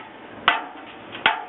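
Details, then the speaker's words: Fire escape tread inspection: two sharp, short hammer taps on steel, each with a quick ring, to find rust inside; a light blow is enough, and treads found rusted are marked with yellow spray for repair. "It's just can I or can I not. My job is to identify whether there's rust inside."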